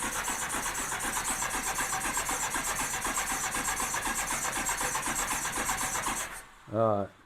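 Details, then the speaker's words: 1987 Honda GL1200 Goldwing that has sat for years, cold in cold weather, with a nonworking choke lever. With the stop switch on, it is cranked to fill the carburetor bowls: a steady fast starter whir with even compression pulses about 80 a minute, no firing at all. Cause suspected, not confirmed. "I'll tell you what, let me turn the ignition or turn the stop switch on. Let me just crank and try to fill the bowls up."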